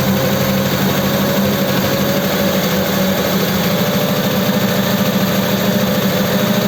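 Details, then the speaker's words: V8 truck running a Holley 94 carb, cold and with the choke now off after starting on full choke: uneven, lumpy idle of about three pulses a second, wavering and messy as revs rise; rough running. "okay it's got no choke now doesn't seem clean as the revs come up it's a bit messy it isn't hot yet though"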